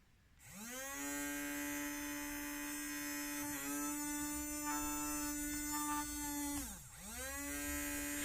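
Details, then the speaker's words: Toy brushed DC motor running without its lens-type suppression capacitor gives a different, irregular buzzing hum whose tone wavers mid-run, compared with the capacitor-fitted motor; the capacitor absorbs the motor's reverse current. "Bakın farklı bir tını çıkıyor. Ses farklı geliyor. Bir düzensizlik olduğu belli."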